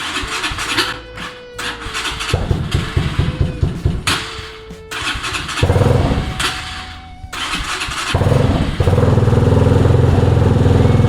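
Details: Cheap 250cc single-cylinder motorcycle, bought non-running, with an aftermarket slip-on exhaust, just brought back to life: it coughs to life after cranking, then runs lumpy and uneven with surging revs; still running rough.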